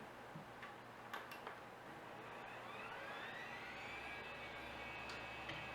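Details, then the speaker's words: Old Quantum hard drive after shipping in a padded envelope: few clicks then rising whine settling into loud steady hum with heavy vibration; spins but not detected. "crap that's loud okay damn this this thing vibrates so much this is ridiculous"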